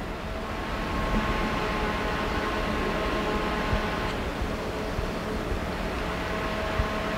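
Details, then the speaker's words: 12V solar cooling fan with 3D-printed hexagonal mesh grill, microphone near the grill: steady hum with fixed pure tones over airy rush; suspected blade-pass tone from blades chopping hexagonal air columns, later reduced by a circular wire grill. "I think this particular grill is letting hexagonal columns of air through and then the fan blades are chopping those columns up because of this regular spacing"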